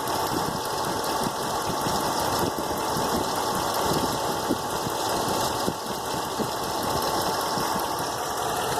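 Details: 2008 Ram 1500 pickup idling with a dull knock ticking faintly through its steady running noise; engine knock at idle.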